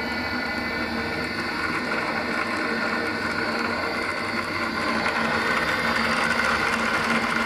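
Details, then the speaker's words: Lab pump cavitation experiment, flow rate and velocity increased via valve: steady crackling hiss like gravel in the pipe, louder as flow rises; cavitation bubbles damage pump and turbine metal. "those bubbles are very dangerous for uh structure especially in uh turbines and also pumps metallic materials it can it can make corrosion"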